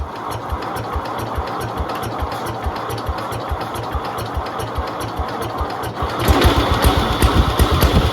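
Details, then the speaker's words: 1971 IH Cub Cadet 126 single-cylinder garden tractor, revived after apparently decades unused, fuel lines redone, battery charged, choke off: uneven, lumpy running that picks up louder near the end; runs rough and may need carburettor tuning. "Might need to do a little bit of tuning on the"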